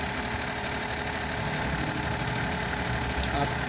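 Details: Suzuki Every wagon (Japan-assembled) with check engine light and codes P0300/P0302: uneven, lumpy idle stumbling about three times a second as one cylinder drops out from a loose injector connector. Cylinder misfire.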